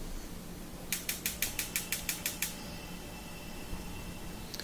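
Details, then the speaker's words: Wolf gas range back burner: sharp even igniter clicks about three a second that keep going after lighting; caused by dirt and corrosion at the burner base. "I noticed though the back one was having trouble where it just kept clicking too, so wanted to do the same procedure to clean that up."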